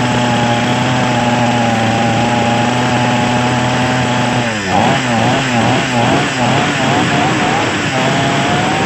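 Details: Small Chinese two-stroke chainsaw engine that previously would not start without priming, now buzzing steadily at fast idle with a few quick throttle blips and settling back; starting and running normally after repair.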